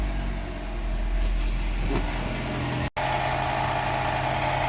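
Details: 2006 Honda Civic 1.8 after starter replacement for a no-start: the engine settles into a steady, even idle with a smooth low hum and no knocks or misses; running normally.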